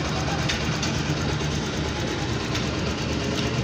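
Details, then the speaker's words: Honda Click scooter that would not start; cause was side stand wiring chewed through by rats, now wired direct: starts and idles with steady, even hum and faint putter, no knocks or misses. "Naka-start siya. Yan, yun lang ang problema. Wala siyang side stand wiring."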